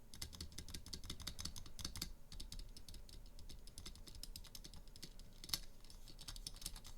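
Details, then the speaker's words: Durock (Everglide) stabilizers on a spacebar mounted on a PCB: repeated key strikes with a loose, clattery rattle on top of the click, not terrible but not ideal, partly due to how the stabilizer's inner sliders are made; spacebar stabilizer rattle. "you can see that it's fairly rattly it's not terrible but it's certainly not ideal now the reason for that is partially because of the way the sliders on the inside of these stabilizers are made"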